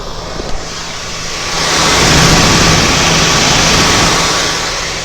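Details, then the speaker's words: Harley-Davidson Dyna Low Rider S (FXDLS) with Ultra Cool oil cooling system, close-up on the fans with ignition on after turning bike off: steady airy rush and even hum, no rattles; normal fan operation, installed after overheating and stalling on 30-minute rides. "So that right there shows you that it's fucking working, guys. So that's what keeps my bike running cool for the most"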